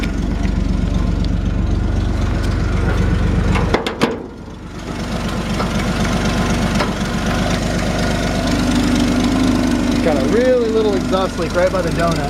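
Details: 1966 Chevrolet C10 with its original 250 six and three-speed column shift: steady, lumpy idle with a faint quick puffing tick on each exhaust pulse. Small exhaust leak at the manifold donut gasket.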